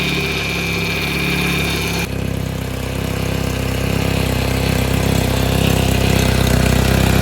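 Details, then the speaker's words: Neglected Vauxhall Calibra revived after years dry: steady high whine over rough idle with exhaust chuff; power steering pump noisy, owner hopes it quietens with lubrication, use and warm pipework; exhaust front pipe split along its length. "peris steering pump you can hear a little bit of noise coming from it but it's been dry for several years so fingers crossed with a little bit of lubrication and a bit of use it should quieten down a bit"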